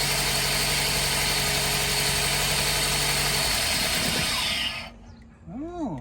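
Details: Toyota Corolla with P0303 code, shaking, fuel smell from exhaust, flashing check-engine light: lumpy, uneven idle stumbling about three beats per second; cylinder 3 misfire.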